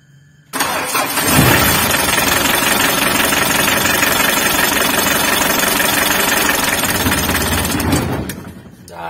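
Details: Mitsubishi L300 diesel that suddenly would not crank, traced to a broken alternator charging wire, battery likely recharged by running about 15 minutes: brief crank, then fires at once and settles into a steady, even clatter before shutting off; clean normal start.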